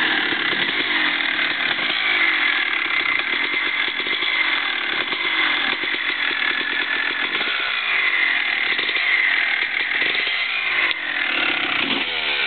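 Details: 2001 Honda CR250 two-stroke just after rebuild with Wiseco bottom end and ProX piston, first startup: crisp high-pitched crackle revving and settling cleanly and evenly; normal running.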